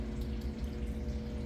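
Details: Brastemp BWK 12 kg washing machine that filled slowly with little water and made noise, after replacing the two-way inlet valve assembly; water runs in steadily under a low, even hum with no rattle or buzz. Normal water fill, noise gone.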